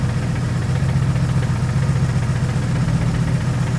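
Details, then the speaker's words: 2JZ-GTE turbo six in a Mercedes SL500 swap with 6-speed manual, started to check whether it runs on six cylinders; lumpy shaking idle with uneven low thump. Misfire, two cylinders dead. "I'd like to hear if it's running on six cylinders and kind of get some hope back in our lives of course yeah please be fixed please be randomly fixed even though you were randomly broken go ahead stop turn the key on [Music] I don't think so doesn't sound great"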